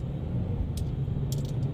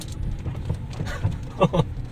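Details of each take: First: Geely Emgrand GS, about 80,677 km, after replacing front stabilizer links and retightening the left front lower arm bolt: driving with only steady road and tyre rumble, no clunks; chassis noise gone, normal quiet suspension. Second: Geely Emgrand GS, 80,677 km, driven over rough road: dull irregular thumps and louder clunks from the chassis/suspension; right-front stabilizer link ball joint found worn, a contributing cause, with shock absorbers suspected.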